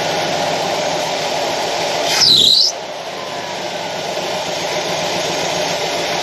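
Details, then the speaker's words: 1966 Ford F100 351 Windsor started after fixing a big vacuum leak: a sharp high squeal for about half a second as it catches, then plain idle; slightly less than before, belt suspected, not confirmed. "Still got a squeal. I don't know if that's the belt or not. Must be a belt."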